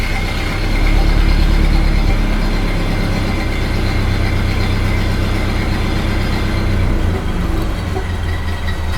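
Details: 1929 Ford Model A after oil pan gasket replacement and new oil filter fitted, just after cold start: low even idle, steady beat about four pulses a second, no knocks or misses; sounds like it's idling really well.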